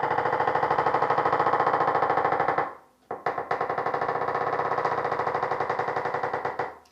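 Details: Door with a dry, dirty hinge pin: two long, drawn-out creaks as the door swings, each a rapid stick-slip chatter lasting a couple of seconds.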